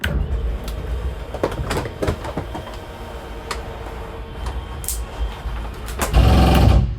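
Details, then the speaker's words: 2022 Jayco Jay Flight 24RBS travel trailer slide-out extending: steady motor hum, then a short loud gear grind as it stops at full extension; normal. "Once you hear that little gear grinding noise, you know you're fully extended. Don't worry, it's not a bad thing. Just a heads up, might scare you."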